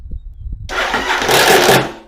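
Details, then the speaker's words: Engine with one spark plug in for compression and no ignition, before the Bendix Clip Clamp: one short turn of about a single revolution, then a loud whirring spin-out. The starter drive gear kicks out under compression. "Wham! You get a rotation or so. But all you get is a rotation."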